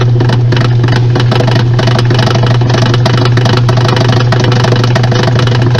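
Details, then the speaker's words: Washing machine during spin: steady motor hum under fast, uneven clacking with abnormal movement throughout; the transmission is completely damaged and must be replaced. "este ruido es de una transmisión que está completamente dañada y este movimiento es totalmente anormal"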